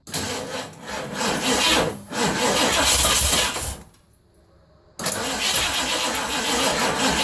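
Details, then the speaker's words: 1980 Ford F100 carbureted engine sitting 29 years, plugs cleaned and gapped, fresh gas with Marvel Mystery Oil poured down carburetor vent: starter churns, engine catches, runs ragged a few seconds, dies, fires again; brief running on primed fuel only. "It's been sitting a long time so let me give it some more. As you can hear, I'm pretty happy."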